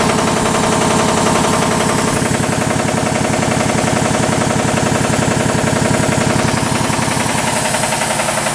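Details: 40-year-old 25hp American Kellogg 462 air compressor before overhaul: hard, regular metallic knocks three or four a second on the pump beat, rod knock on 3 of 4 connecting rod bearings.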